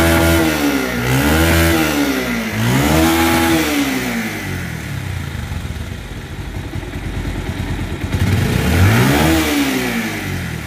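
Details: Bajaj Pulsar 150 BS4 motorcycle after balancer pinion installed to cure engine rattling sound; clean rises and falls in pitch on throttle blips, no rattle or clatter, revving smoothly.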